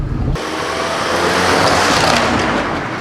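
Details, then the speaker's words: Used car on a pre-purchase test drive, rolling slowly over a small bump: steady tyre and road rush with no knock or clunk, so the suspension sounds normal. "right no noise on the left side you got both Wheels going over that"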